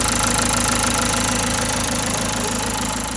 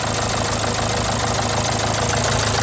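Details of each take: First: Renault Symbol after full engine rebuild, strange ticking began a month later; after tensioner swap, starter test shows steady even idle at about three pulses a second, no rattle or slap: normal idle. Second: Renault Symbol a month after full engine rebuild: rough, buzzy, shaky idle with chattering rattle; failed tensioner bearing let timing belt jump a tooth, causing noisy vibrating running.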